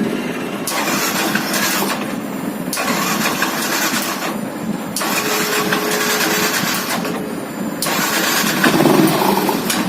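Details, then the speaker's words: Yamaha FZ fuel-injected bike with missing/starting problem: engine catches and runs a second or two then dies, restarted several times in ten seconds; stalls right after starting. "कि जैसे start हुई फिर बंद हो गई फिर कोशिश करते हैं"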